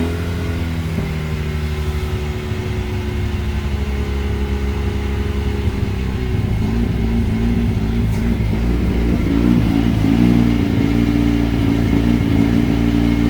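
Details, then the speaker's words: Car with a misfire being tuned, out of gear and self-learning a new tune: idle sits fairly steady at first, then surges up and down instead of settling; hunting idle on that tune, cause not confirmed. "holds okay for a while, then it starts hunting. All right, we'll try another tune."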